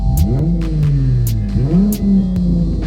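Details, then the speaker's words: 2014 Chrysler 300 V6 driving on I-95 under load: loud, raspy drone rising and falling with engine pitch after a small exhaust leak burst, leaving the exhaust hanging; owner plans to cut off the mufflers. "I had a little small exhaust leak, but on the way on 95, it burst."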